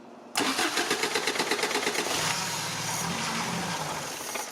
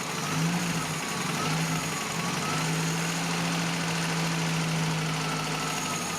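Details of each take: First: 1987 Toyota pickup 22R carbureted engine that sporadically won't idle, started by jumping starter to battery: brief crank, then uneven running with throttle blips, won't hold steady idle; carburetor suspected. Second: 1987 Toyota pickup 22R carbureted engine after carburetor cleaning and rebuild, idle mixture screw 3.5 turns out; steady even low idle around 750 rpm with no stumbling, hunting or misfire; normal idle.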